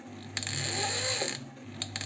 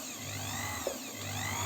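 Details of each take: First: Janome 509 sewing machine, about 15 years old, squeaks and won't sew; the mechanism is turned slowly by hand after disassembly, giving a dry scraping that rises and fades with each turn; the cause is unclear. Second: Janome 509 sewing machine, about 15 years old, with the belt off while tracing a squeak/grinding: smooth, even low motor hum with no grinding or scraping; motor runs normally.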